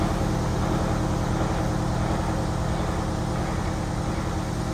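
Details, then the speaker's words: Prevost Marathon conversion bus, Detroit 8V92TA DDEC2, pedal to the floor, no codes, boost only 15 psi: a heavy diesel drone that never builds, with surging and poor acceleration from a stuck injector plunger. "It's really easy to hear that surge. Watch this horrible acceleration."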